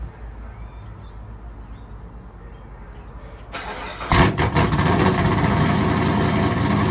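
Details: 2016–2020 Camaro SS V8 after a Rev 9 axle-back install with the factory muffler removed, and after an earlier header exhaust leak was fixed: cranks, catches with a loud bark and settles into a deep, steady, even idle; healthy.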